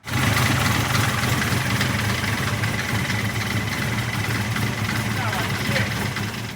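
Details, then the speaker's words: Built V8 at a rough idle with light, fast ticking that keeps pace with engine speed. Owner suspects lifters even after replacing the lifters and cam, fitting longer pushrods and checking valve train geometry. Valve train ticking, cause unconfirmed. "Guys, I'm not sure what it is, but if you remember from day one, I said it had some type of noise. To me, it sounds like lifters."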